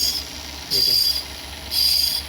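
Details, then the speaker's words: Car driving at 30–40 speed: a very high, thin squeal pulsing about once a second with wheel rotation, as the fully worn front left brake pad's wear indicator rubs the rotor. "उसके पीछे reason ये है देख ये इसके brake pads है front side के front left side के ब्रेक पैड है और ये बिल्कुल जो है वो खत्म हो चुके हुए हैं"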